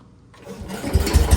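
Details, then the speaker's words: 1968 Case 155 garden tractor, sat a long time, restart after first revival by cleaning the points: short crank, then the engine fires quickly and settles into an even, rising chug; normal, easy start. "oh yeah oh yeah that is freaking awesome"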